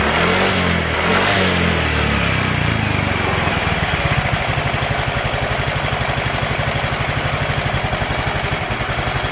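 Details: Yamaha automatic scooter after fuel pump replacement, previously rough-sounding and stalling suddenly: after a brief rev it settles to a steady, even putter about four beats a second, no stumbling or dying; earlier rustling noise gone. Normal idle.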